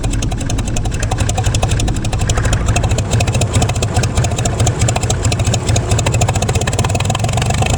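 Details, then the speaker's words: Gleaner combine gas engine, rebuilt carb, run briefly with no antifreeze after sitting. Low, uneven beat with stumbling pulses, blowing debris from the exhaust, possibly a nest; rough running. "haha a she runs kind of I can't run it very long I don't have any antifreeze in it but"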